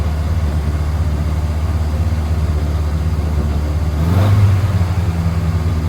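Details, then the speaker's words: Morris Minor 1000 (61 years old, one owner, 36,000 miles) started on choke in neutral; fires up and holds a steady, even low idle with one short rev blip, no knocks or misses; normal idle. "Hopefully, it should fire up. Oh, nice."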